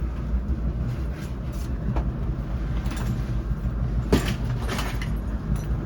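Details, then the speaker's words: Apartment dryer's booster exhaust fan, pressure-activated, behind the unit with a lint-full secondary trap: steady low droning hum with a faint rough buzz; vibrating, not too bad, probably lint on the blades. "Vibrating. It's not too bad, but there's probably a lot of lint on there."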